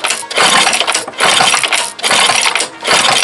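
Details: Two-stroke engine with spark present but a wet plug, four rough pull-start bursts that turn over without catching; flooded, which the owner attributes to a bent reed valve letting fuel back.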